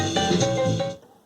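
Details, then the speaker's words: Radio Shack Realistic MC-800 speaker after repair and reassembly into the cabinet, playing music: clean highs and full lows with no buzz or rattle; woofer and tweeter both work. "woofer and tweeter work all right so that monstrosity is fixed"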